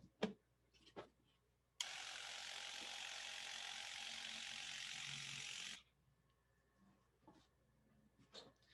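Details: Viper MINI DTG pretreatment machine spraying shirts, with spray length set by when the button is released: a few clicks, then a steady four-second hiss of spray that cuts off cleanly; normal spraying operation.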